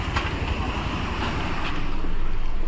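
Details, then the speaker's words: Maruti Suzuki Wagon R after faulty CNG injector replaced, idling on CNG, heard from inside the cabin: steady low hum, earlier knocking, misfire and vibration gone; normal idle. "यहां पर देख सकते हो CNG प गाड़ी है और vibration जो नॉकिंग था वो भी बंद हो गया सब बंद हो गया और वाइब्रेशन भी नहीं है"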